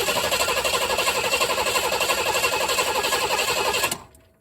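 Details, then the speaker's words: V8-swapped Chevy S10 built about 11 years ago and stored, after a used replacement fuel pump and premium gas; spark and fuel flow are confirmed. Even cranking about four times a second that never fires; the injectors need about 55 psi. "uh put that used one in and uh filled it up with premium gas and still just cranks got no ignition no fire just cranks"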